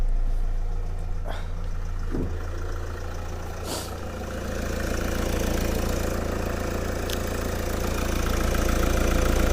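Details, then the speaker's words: 2010 Mercedes Vito 2.2 CDI diesel after replacing the squeaking idler pulley and auxiliary belt: steady, even idle clatter with no squeak or chirp. Normal idle. "That's better. Beautiful. No noise. It's lovely."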